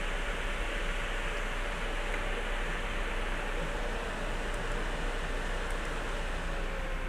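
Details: Rear fan of an Asus Strix GTX 1080 graphics card after lubricating its sticking bushing, fan speed raised to about 80%: smooth, even rush of air with a faint steady hum and no ticking or rattle; fan running normally.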